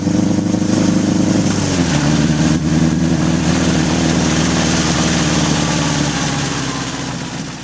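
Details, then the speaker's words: 1981 Honda CB750 K1 four-cylinder on test ride, partly on choke: pulls then sags and stumbles under throttle instead of climbing cleanly; lean bog, vacuum leaks at carb boots and throttle shafts and carbs out of sync suspected. "half that time I was riding with the choke on and it's bog and it's stuttering it's just not running right so I'm guessing there's some vacuum leaks"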